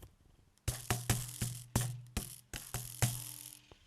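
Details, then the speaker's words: AliExpress carbon road bike build with Shimano hydraulic brakes, mic held close to the shifters: sharp irregular plastic clicks and taps, about eight in three seconds, from inside both brake/shift levers; brake lever rattle, source not yet found. "so it's coming from somewhere inside the shifters and it happens on both and I'm going to have to figure out where that's coming from because if I had that out on the road it would annoy me no end"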